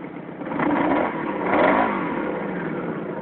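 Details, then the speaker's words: Honda Magna motorcycle revving in two short uneven, stumbling blips, missing on cylinder two, whose spark plug was fouled black; hard start, sputtering under load, idle slowly dropping until it dies, whitish-blue smoke from the left side, despite cleaned carbs and new plugs. "the sound of it you can hear it missing on that number two cylinder thank you"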